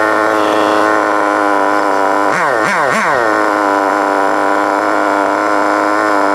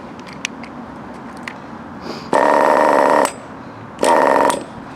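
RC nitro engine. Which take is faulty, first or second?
second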